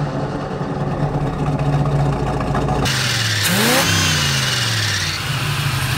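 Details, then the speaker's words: Small-block Chevy 350 V8 with Quadrajet carb in a square-body truck, initial timing set to 12 degrees and idle turned down: lumpy idle burble, then a quick blip rising cleanly in pitch, crisp throttle response, no longer lazy. "how that throttle response is just right there? It's not lazy like that was. It It's right there."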